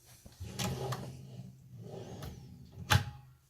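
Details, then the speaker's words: TANSEL soft-close cabinet basket after installation: the basket slides shut with a few light clicks as the soft-close dampener activates, which is normal. "the slight clicking sound that you can hear is normal it's the dampener activating"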